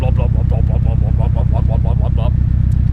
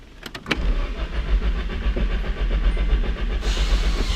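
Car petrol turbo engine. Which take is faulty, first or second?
second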